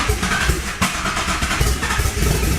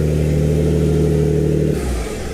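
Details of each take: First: Built Greddy twin-turbo (18G) G35, first start after fixing a fuel leak: cranks, catches, revs flare, then sag and hunt and it keeps dying. AFR climbs very high; running lean and stalling from low fuel pressure. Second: Built Greddy twin-turbo G35 after the fuel pressure fix (about 90 psi, later set to 54), UpRev tune loaded; steady even engine note, smooth hum, no knocks or misses. AFR about 12, good oil pressure, running clean.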